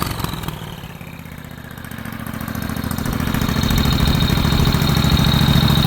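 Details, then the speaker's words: Turbocharged lawnmower engine (small single-cylinder) running at about three and a half beats a second, then rising fuller and lumpy; owner suspects overfueling since closing the choke helped, may need a smaller jet; unconfirmed. "But I don't know yet because it sounds like it's overfueling because if I close that, it ran better. So I might have to kick down the jet. Maybe it's sucking too much fuel."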